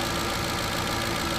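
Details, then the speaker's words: Ford 5.4 Triton V8 at idle after a timing chain kit install: steady smooth idle with soft, fast injector ticking and a faint low thump underneath; a manifold leak remains, engine otherwise healthy. "not the injectors the injectors are very noisy on this engine"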